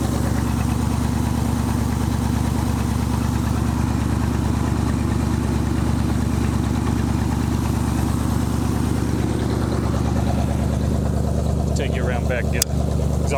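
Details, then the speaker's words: 1965 Ford Mustang 289 2V V8, 4-speed, first run after 30 years in a junkyard, warmed up: deep even burble at steady idle, no misses or knocks; suspected vacuum leak and leaking coolant noted. Normal idle. "I say exhaust note like this thing sounds good. I think it sounds worse back here. Pretty cool. Pretty cool. 30 years back running."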